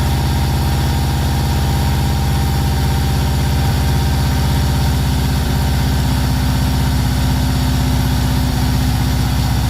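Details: VW T3 Combi with swapped Subaru engine just after first start: low loping idle with occasional stumbles, black smoke, far too rich, risking fouling plugs.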